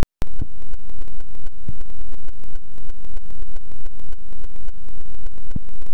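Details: GoPro camera audio glitch, one clip only and never since: loud constant static buzz with a steady hum and rapid crackle, no pauses; electronic recording fault, cause unknown.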